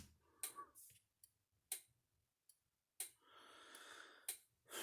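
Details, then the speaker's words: Gallagher M600 electric fence charger under repair, tested before the correct capacitor is fitted: thin, soft ticks about every 1.3 seconds; the pulse still sounds weak despite a reading of about 8,000 volts unloaded. "Still sounds kind of weak."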